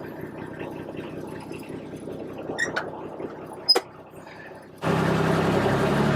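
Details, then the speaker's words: Kubota RTV1140 diesel side-by-side, cold start after repair of long-crank hard starting where glow plugs weren't firing: quiet clicks at key-on with glow plugs, then engine catches almost instantly into a steady, even clatter; normal cold start. "Key on, glow plugs on. There we go. Give it a little bit. Fire it up. Whoa, that was quick."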